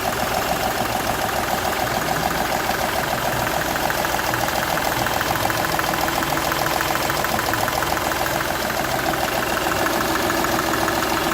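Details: Seat Ibiza 1.2 TDI diesel at idle, sharp regular chuffing tick about three per second over the clatter; compression loss from cylinder one past the injector seal, which showed a burnt section where compression escaped.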